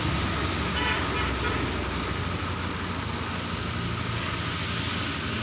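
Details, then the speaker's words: Honda Scoopy Fi scooter, treated for hesitation and weak top-end power (weak fuel pump, rusty tank, injector replaced), at normal 80°C engine temperature: steady, even warm idle around 1500 rpm, no misses or knocks. "putaran langsung dianggap turun ya padahal 1500 tapi wajar nggak papa ini nggak terlalu berpengaruh sekali"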